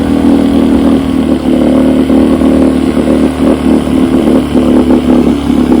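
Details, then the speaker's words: Rebuilt carburetor from a 1972 Evinrude 9.5 HP outboard, test-run on a test motor: steady, even two-stroke buzz holding its pitch with no misses or stumbles; it runs normally. "I got Jeff's carburetor put on my test motor, and I'm about to give her a crank up run here. Let's see how that goes."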